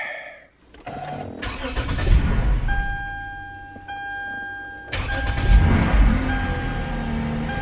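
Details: Slammed Lexus's first start after sitting in a shop, with a new alternator and new battery fitted and the ECU and airbox reinstalled. A short crank, then it catches and settles into a smooth, even run over the dash chime; a clean, healthy start.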